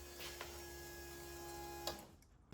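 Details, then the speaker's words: RB30 turbo swapped into a VN Commodore, first key-on after budget DIY wiring: steady electric hum with faint whine for about two seconds, then clean cutoff; fuel pumps priming normally, ECU powered; fuel pressure regulator needs adjusting. "yes, fuel pumps work, ECU has power."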